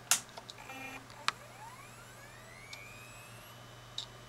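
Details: Old IDE hard drive, unused about six years, connected via new drive dock: soft clicks then a clean whine rising steadily in pitch as platters come up to speed; healthy spin-up, drive still readable.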